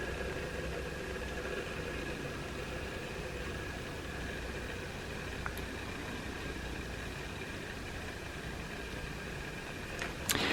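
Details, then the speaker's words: Canon 70-200mm f/4 IS lens on manual focus with IS on, so no autofocus noise: faint, steady high whine over soft hiss; normal image stabilization motor noise, heard on every Canon body used. "Okay, it's on manual focus, so you're not going to hear the autofocus motor, you're only going to hear the image stabilization motor."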